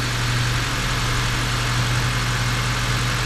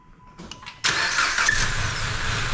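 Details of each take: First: 2014 Dodge Avenger 2.4L just after cylinder head and head gasket replacement: after an initial misfire, possibly from assembly lube in the head, it settles into a smooth, even, quiet idle with no knocks or ticks. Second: 2014 Dodge Avenger 2.4L, first start after cylinder head and head gasket replacement: catches after a brief ragged stumble, then steady even quiet idle; short initial misfire, suspected from assembly lube in the cylinder head.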